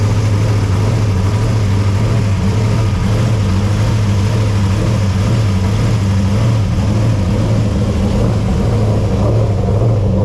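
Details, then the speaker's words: Race car V8 first fired for the 2024 season after engine work, in a cold garage with a heater on: a deep, even burble at a slightly high idle with no misses or knocks. It runs well, though the exhaust may be rattling a little. "well it runs sounds good um mind minding the exhaust might be rattling a little bit"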